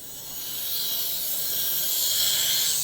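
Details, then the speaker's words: Graham Farish N gauge Class 44 (split chassis) on DC track after replacing broken gear: even high-pitched whir swelling smoothly as loco passes, no clicking or catching, good slow crawl; normal running. "okay so we're back at the track and um let's just change our point yeah she's absolutely running a treat"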